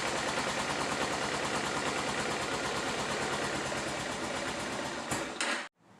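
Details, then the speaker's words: 2011 Kawasaki Ninja 250 that likely has old gas, started with a jump pack. It runs only on choke with an uneven, loping idle and dies when the choke is turned off; the carburetors need cleaning. "after hearing the bike run on choke we can assess that the carburetors need to be cleaned"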